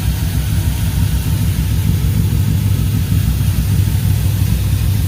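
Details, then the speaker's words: 1995 Chevy 1500 converted from a 4.3 V6 to an LS 5.3 V8, first start after knock sensor replacement: steady, deep V8 idle with no knocking, misfire or ticking. Normal healthy idle. "there we go guys cross your fingers its alive guys"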